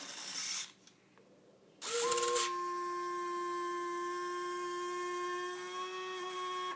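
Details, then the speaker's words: FMS 1700mm P-51 RC plane landing gear switched down: a steady high motor whine for several seconds, then stop, but only one leg deploys, intermittently. A short in the ribbon cable is suspected. "only one coming down it's kind of intermittent sometimes I'll get the other one will come down as well"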